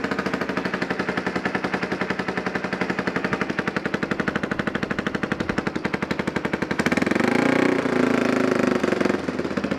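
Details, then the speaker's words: Yamaha Warrior 350 single, first start after years sitting, new aftermarket carburetor, gas bottle feed: loud uneven popping about four beats a second, rising as revved, raspy exhaust needing repair; something on the pipe catching fire. Runs rough. "well it runs and actually runs but whatever this meant stick out on the pipe is catching on fire so homemade pipe wrap"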